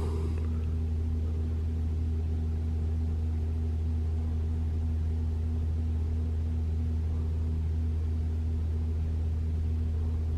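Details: 2021 Toyota RAV4 Prime SE starting up in EV mode at 57 degrees with Auto AC off, fourth repeat test: the heat pump gives a loud, steady low hum of constant pitch with no rattle or groan, so the infamous heat pump noise is absent and it runs normally.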